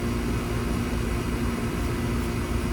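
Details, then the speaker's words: AC condenser on a no-cooling call, near 100 degrees, with a blank thermostat; wires found chewed, possibly by rodents, though the owner thought a weed eater. Running after the repair: steady, even compressor and fan hum, no rattles or surges, normal. "She's running. Shoo-wee, that's putting some fire and hot air."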